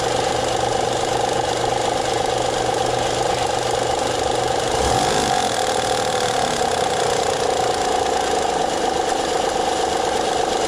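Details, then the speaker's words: 2009 Honda Pilot 3.5 L V6 idling before repair: a fast, somewhat uneven ticking, knocking chatter about three to four times a second. Caused by a failing hydraulic timing belt tensioner, which was then replaced. "so if you do have any kind of chattering noise and you're wondering if you're a timing belt hydraulic tension is going out"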